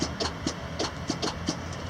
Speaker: my starter is very hot he says it's really hot and it's still clicking you can hear it maybe